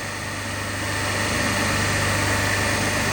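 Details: Three-phase induction motor coupled to DC compound machine, unloaded, running single-phased with the third phase switched open (zero current and zero watts in that phase, about 5 A in the other two): steady, heavy low hum.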